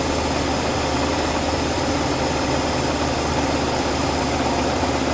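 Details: Oldsmobile after vacuum leak repair: even, steady idle with a smooth low hum and no hiss or surging; the engine sounds settled and quiet.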